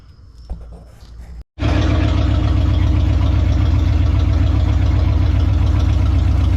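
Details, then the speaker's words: 1969 Plymouth just swapped to a V8, first start after filling 50/50 coolant: settles into a steady, even lope with deep low rumble and no misses, idling without touching the gas; healthy idle. ">> Sounds like it's idling. >> Yeah. Yeah, it's idling. Good. You didn't even hit the gas, did you? >> No, I didn't touch the gas."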